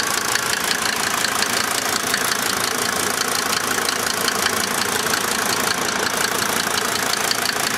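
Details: 1990 Mercedes-Benz 300D 2.5 turbo diesel idling with an uneven knocking beat around three per second that never settles; rough idle confirmed.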